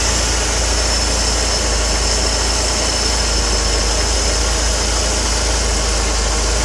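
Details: Mercedes CLK W208 M111 200K/230K with Eaton supercharger, first test after fitting a modified compressor pulley: smooth, even idle with a steady blower and belt whir, no knocks, squeal or slap; healthy.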